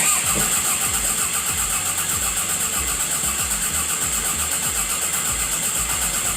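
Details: 1992 Toyota MR2 with parts reused from the 2.2 liter engine: steady cranking at about four strokes a second for several seconds, never firing. Crank no-start; owner suspects something missed in the engine bay.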